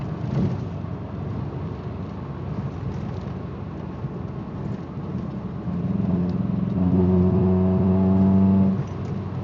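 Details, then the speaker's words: Car driving under light throttle with an uneven drone and irregular popping, note wavering as it pulls; bad cylinder misfire, almost undrivable, while a loose timing belt tensioner pulley also causes vibration below 2,000 rpm. "Pop, pop, pop. It's actually driving pretty well compared to what it normally does, but I'm sure you can hear that. That's just slightly stepping on the gas."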